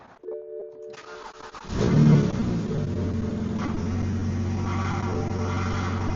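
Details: Car starting after refilling the power steering with fresh fluid: quick crank, clean catch, steady quiet idle with no steering whine or groan.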